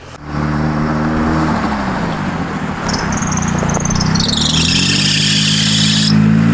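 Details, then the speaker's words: Nissan 180SX with SR20 engine, running cold: a high squeal climbs and holds over the engine; owners suspect a bad pulley bearing or the power steering pump. "Yeah, maybe a pulley? Hey, you get a screwdriver? What's wrong with the car, dude? Sounds good. Yeah, I think it just needs a power steering pump. Yeah. Maybe the bearing's just bad, isn't it?"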